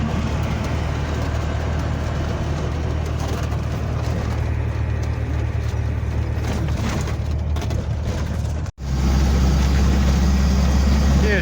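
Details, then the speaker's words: 1985 Toyota Sunrader motorhome, 22RE engine, manual, driving on the road after LCE street header install; steady low drone with an even pulse pulling cleanly through the gears, no ticks or knocks, feels more responsive; normal running. "guys that sounds good man it sounds really sweet [Music] definitely can feel like it's a little bit more responsive the engines a little bit more coming to life"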